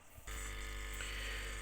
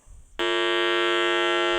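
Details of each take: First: Pure sine wave inverter output through a speaker with a 22 microfarad capacitor in the line cutting most of the 50 cycle sine wave: smooth, steady low hum with only a faint buzz, much quieter than the modified sine inverter; normal healthy output. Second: Modified sine wave inverter output through a speaker with a 22 microfarad capacitor in the speaker line, which filters lower frequencies so harmonics get through: loud, harsh, dead-steady buzz; the stepped output leaks a raspy edge, louder and more distorted than pure sine.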